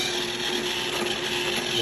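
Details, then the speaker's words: iRobot Roomba i7 with only 7 hours of use: hissing motor hum with a thin squeak from the middle brushes, which earlier rattled; quiet with brushes removed. "And now it's making squeaking noise. And that's only from the middle brushes."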